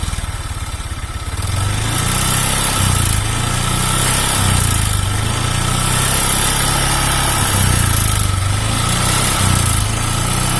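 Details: Honda Vario 125 injection scooter: rough, uneven running with a surging low drone and a harsh clatter. The piston is worn loose in the cylinder bore, giving weak compression and hard starting.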